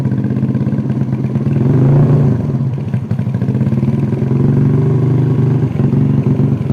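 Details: Yamaha Vega R New with 53 mm bore-up, after installing Koizumi hard valve springs and an oil change: single-cylinder thumps evenly, revs rise and settle with light steady valve-train clatter; sounds healthy after the work.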